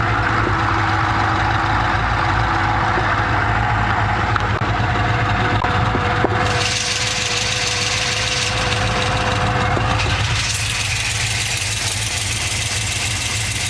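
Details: LS2 V8 at idle: a steady idle with a quick, even, light top-end tick at about three per second.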